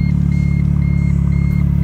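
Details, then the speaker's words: 2013 Smart ForTwo idling after the A/C evaporator temperature sensor's bad wires were repaired; the compressor kicks on at 57°F outside and the idle is a steady, even thrum with no added noise. "it goes AC just kicked on as didn't nice and gold probably kick off pretty quickly because it's 57 degrees out here"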